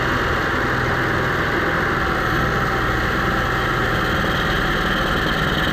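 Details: Onan 5500 motorhome generator that idled rough, died and backfired, running after carburetor cleaning and fuel filter refit: loud, constant drone holding steady with no surging, hunting or stumbling; running smoothly.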